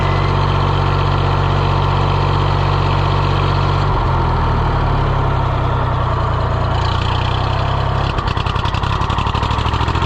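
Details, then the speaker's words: John Deere 1020 diesel tractor idling after repair work: steady low chug, even firing, no knocks or misses, brief speed change near the end; running healthy. "Let's see. Will it start? Yeah, what a sweetheart. She's purring like a little kitty now."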